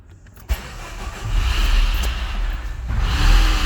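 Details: Citroën DS3 1.6 petrol with fluctuating idle and diesel-like clatter, logging rich-mixture, oxygen-sensor and cam-timing codes and found nearly out of oil: it catches, then idles unevenly, surging, with a top-end tapping knock. Head damage is suspected.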